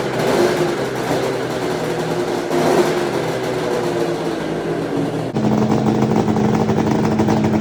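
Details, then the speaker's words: 1996 Arctic Cat ZRT 600 triple two-stroke snowmobile, first start in a long time after fuel tank cleaning and carburetor install, pull-started: catches and revs unevenly, then steps up and holds; owner says it doesn't sound right yet. "Um yeah, I'm going to jerk on I'm going to give a few more pulls. Yeah. Either way, it doesn't sound right."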